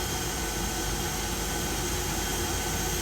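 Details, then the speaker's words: Niftylift hydrogen fuel cell test run with booster pack connected: steady airy rushing hum, even fan-like whir, no knocks or surging; running normally, charging battery. "okay so it's actually running charging now the battery"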